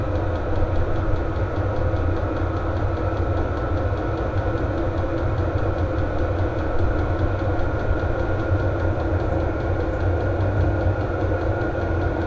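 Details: VEVOR heater lit and blowing hot air, exhaust hot: steady, even combustion roar with a constant fan hum, no surging or misfiring, running normally at full heat.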